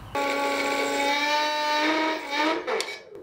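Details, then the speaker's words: Electric ATV conversion, donated motor, 300A speed controller, 48 V lithium polymer batteries: a steady mid-pitched hum for about two seconds with nothing spinning, then it cuts out; the motor buzzes, wants to rotate but doesn't, cause not confirmed. "it kind of wants to rotate but doesn't really do it"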